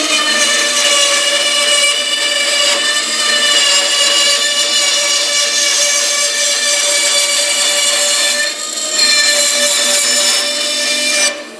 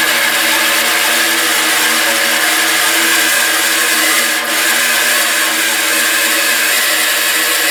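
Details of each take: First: Small bandsaw test-cutting a curvy line after new tires and fixing a loose wheel on its shaft, the suspected cause of earlier problems: steady, even high-pitched rasp through the curve with no thumping or rubbing; normal cut. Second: Bandsaw just fitted with new tires: constant whirring drone with steady scraping hiss on top; lower blade guide rubbing the wheel, alignment off after tire change.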